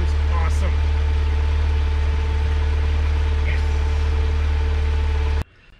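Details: 2008 Pontiac Solstice after timing chain and water pump replacement: even, steady idle with smooth low hum and no chain rattle or ticking; engine running cleanly.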